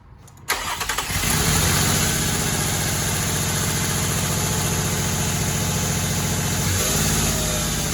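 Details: 2007 Nissan Maxima 3.5 after spark plug replacement: brief crank, then catches cleanly and settles into an even, steady idle with no knocks or misses.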